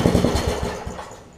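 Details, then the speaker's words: Craftsman 17-inch rear-tine tiller, 5hp horizontal Briggs, probably 90s, after fitting new carb diaphragm correctly: catches on second pull with quick rapid firing bursts that taper off; starts, but leaks gas, owner unsure if gasket or tank. "I didn't expect it to start on the second pull like that but you see what it's doing it's pulled the gas out and it's leaking gas down down through there"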